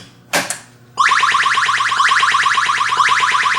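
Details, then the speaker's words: Williams Stellar Wars pinball with the sound setting lowered from the suggested 31 to 15. Steady chirping sweep about three times a second, a harsher, more annoying electronic tone. Changed sound board setting alters the sweep tone. "different sound. Definitely more annoying. You can experiment. All those different numbers do different things. Higher pitch, different pitch, whatever."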